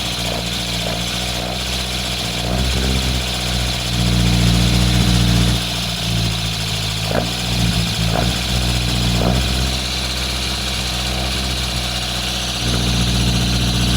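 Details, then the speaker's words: Lotus Elan Sprint big-valve twin-cam, off the road since the early 1990s, barn-find first start: steady, fairly even raised idle on choke with no knocking or misfire; healthy idle on choke. "That's it. It's just idling on choke. Really good."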